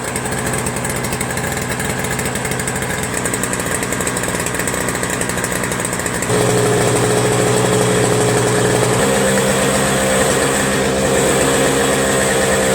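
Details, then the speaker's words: Toro Snow Commander 7HP R-Tek 24" single-stage snowblower, previously no spark; after reassembly, owner suspects an improved ground restored spark: engine runs with even beat, picks up speed cleanly, no misfire or stumble; normal running. "nice I'm glad I was able to get this thing running"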